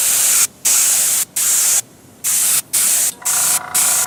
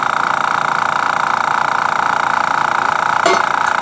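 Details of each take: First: Paasche airbrush on a Master Airbrush TC-40T compressor, paint thinned about 50% with water: hissy spray in short half-second bursts with gaps, each even and steady; spraying normally. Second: Master Airbrush TC-40T compressor running with the regulator at its factory setting of about 60 psi, too high for airbrushing (30–35 psi intended), pressure pushing the line off: steady even motor hum with fast regular pulse, no knocking.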